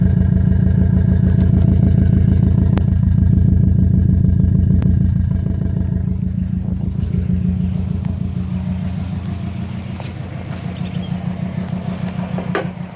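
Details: 2005 Subaru WRX EJ20, code P0340 and cylinder 3 misfire despite new coil, spark plug and front O2 sensor, timing belt and MAF checked, compression good: lumpy idle, uneven stumbling beat near 200 per minute, exhaust pulse dropping out; cause unconfirmed.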